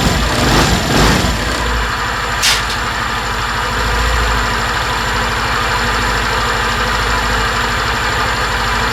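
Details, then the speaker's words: 2020 Suzuki Address 125 scooter at idle: steady single-cylinder idle with a busy mechanical rattle that disappears with throttle; with the drivetrain removed the noise was traced to the engine itself. "Khi bạn khởi động động cơ xe máy và nhấn ga, âm thanh sẽ biến mất và xuất hiện một tiếng ồn không xác định ở chế độ bình thường."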